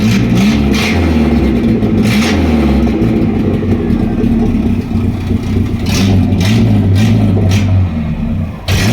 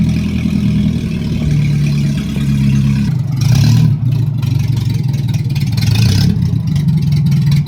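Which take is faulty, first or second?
second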